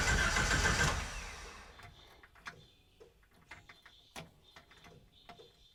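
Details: Jeep YJ-based Willys Wagon that stopped running, after fuel pump replacement, about 40 psi at the fuel rail: engine catches and fires strongly, then settles with a faint steady pump hum underneath; normal start.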